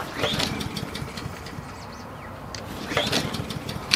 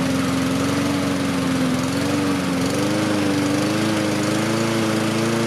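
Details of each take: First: Husqvarna push mower with auto choke, sat a long time: two pull-cord rips spin the engine with a whirring rasp but it never fires; cranks but fails to start, later helped by carb cleaner. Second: Husqvarna push mower with a Honda engine, throttle raised to slightly higher rpm for better cooling: even, steady single-cylinder drone rising slightly in pitch; runs smoothly, normal running.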